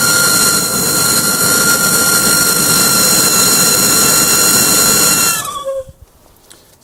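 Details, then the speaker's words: 2001 Chrysler Town & Country old blower motor run before replacement: loud steady high-pitched squeal over fan hiss, stopping as the motor stops; squeal worsened over three to four months until it wouldn't start. Dry, tight blower motor bearings. "didn't have this squeal all the time it did a little bit and would stop and then over time maybe maybe over three four months it would get worse and worse and then pretty soon it wouldn't start at all so here's the nasty squeal of the old motor"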